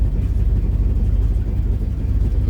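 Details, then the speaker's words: Old Ford daily driver at idle, not fully warm in about 30° weather: lumpy idle with an uneven loping beat and regular exhaust stumble; dead cylinder, plugs to be replaced. "It definitely kind of sounds like it's dragging a cylinder. We're going to check them spark plugs out and see what's up."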